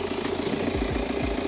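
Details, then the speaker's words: Wrecked 2016 BMW F22 2 Series, after a frontal impact with the intercooler missing: steady engine run with audible turbo whoosh and blowing air like a dump valve, smooth even tone, no knocks or misses; engine sounds healthy. "but on a positive the engine sounds good the engine doesn't sound too bad"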